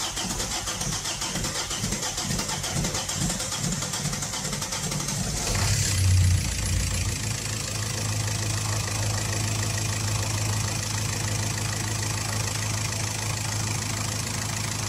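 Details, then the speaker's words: 1.9/2.0 TDI diesel right after replacing the injector O-rings, which makes it start hard. Several seconds of cranking, then it catches and settles into a steady, even diesel clatter with no shaking or misfire: normal diesel start and idle. "okay everybody so as you can see and as you can hear the engine is working very good he's not shaking it's sounding very good"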